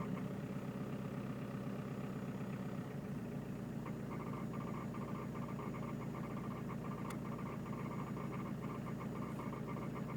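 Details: Peugeot 306 D Turbo diesel at idle making a strange noise: rattly, uneven clatter with a faint fluttering sound on top; cause unexplained.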